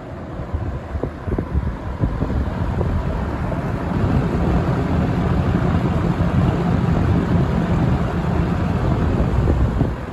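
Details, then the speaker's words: Vintage Windsor (Lakewood P-21) box fan from 1970 or 1971, running on low speed: steady low rush of air with no knocking, scraping or rattle; runs well, blade only slightly and barely noticeably out of balance. "so yeah fan runs pretty good though surprisingly it just seems like it's ready to go it runs good has a good spin down time"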